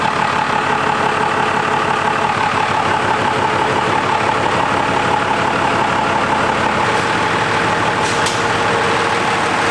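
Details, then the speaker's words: Diesel truck with newly installed compound turbos, restarted after tightening an oil leak and a fresh oil change; steady idle clatter with a faint constant turbo whistle. New turbo paint may smoke lightly. Normal diesel idle. "I mean right there it started up perfectly normal I'm just going to look for that oil leak again"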